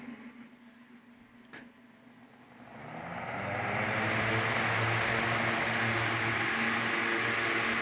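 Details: Rewound electric fan motor, earlier noisy: spools up over a couple of seconds to a steady, even hum with no rattle or scraping; the loud noise is gone and the motor runs normally.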